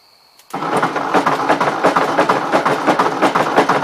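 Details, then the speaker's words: 1953 Ford Jubilee tractor engine, still warm: loud, fairly regular knocking about three per second over rough running; owner thinks it sounds like a bad connecting rod, not confirmed. "I don't know about you guys but it kind of sounds like a motor with a bad connecting rod"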